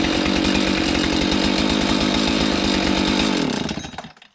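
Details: Husqvarna 576 XTorq chainsaw after muffler repair (cracked mount, lost screws): crisp, even two-stroke buzz holding steady, then clean shutdown with no exhaust leak chuff; normal running.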